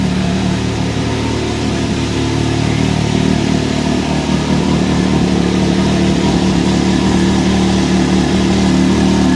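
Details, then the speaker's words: 2023 Can-Am Maverick X3 DS Turbo (135 hp), first oil change, idling after a rattly start-up following the oil refill: even, constant drone at steady idle with no rattle left; engine settled and runs smoothly. "okay well that definitely evened out but I did not like the sound of that that was weird"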